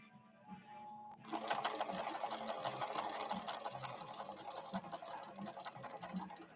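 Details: Late-1970s Viking Husqvarna 6460 Colormatic after several repairs, sewing a red decorative stitch with Gutermann polyester thread and a 90/14 Schmetz universal needle: quiet start, then quick even clatter about three stitches a second, no grinding or binding; normal running.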